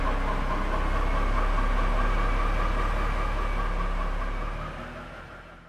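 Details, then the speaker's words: Crash-damaged BMW M4 rolling slowly after rebuild: steady low rumble with quick rattle about four times a second near the rear differential; dislodged heat shield hitting the prop shaft, noise stops when pulled down. "however we've noticed this heat shield has become a little bit dislodged and it's hitting off the prop shaft if we pull it down then the noise stops"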